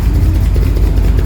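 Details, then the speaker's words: 1938 SS Drophead 3½ Jaguar six-cylinder at its first start in over 50 years: a deep, heavy idle with an uneven, lumpy beat and slight stumbles; still being adjusted, with the spark plugs under suspicion, cause unknown. "well it sounds like there's a bit of a must to it so we are still fiddling around and"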